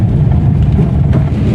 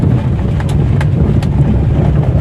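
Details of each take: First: Old-model Maruti Alto driven on a rough road after replacing worn lower arm ball joints and steering ball joints: steady low road rumble with no knocks or clunks; front suspension now quiet. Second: Old Maruti Alto on a rough road: rumble with sharp knocks from the suspension, worse on the left side over potholes; shock absorbers or lower arm suspected.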